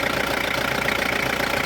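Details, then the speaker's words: 1999 Mitsubishi Pajero diesel at idle after turbo replacement for a loud whistle and drone; even idle with a steady quick pulse, turbo quiet, no whistle left, only some belt noise noted; normal idle. "So Wala na siyang maingay wala ng sumisipol ingay ng belt"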